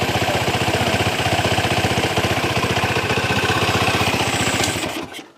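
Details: Tiger single-cylinder, compression tight and hard to start cold, after carburetor setting: even putter at about four beats a second, no misses or stumbles, then shut off; healthy steady idle.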